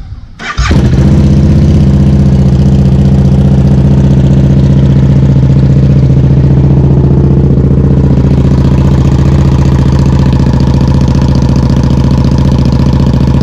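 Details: 2014 KTM RC8R after installing Rottweiler Performance ram air intake kit: starter turns briefly, engine catches at once and settles into a steady, even, deep idle with no misses or odd noises.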